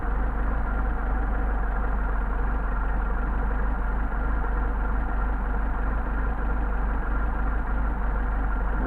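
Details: Mercedes 190SL with rebuilt Solex carburetors during idle adjustment: low, even idle at about 600 rpm with no stumble or hunting; the engine idles smoothly and steadily.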